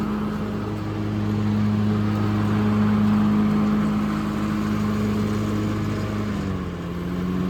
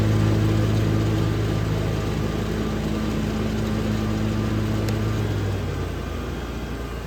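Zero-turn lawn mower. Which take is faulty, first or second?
first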